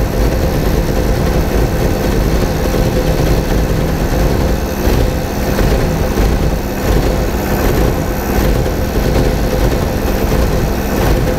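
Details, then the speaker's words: 1987 VW Vanagon at idle, misfiring and stalling despite many replaced parts: a low, uneven petrol idle that sags and stumbles as if about to stall. The ignition coil draws about 8 amps and is not shorted. "engine sounds like it's gonna stall okay so that's the problem right there it's stalling guys they said it did"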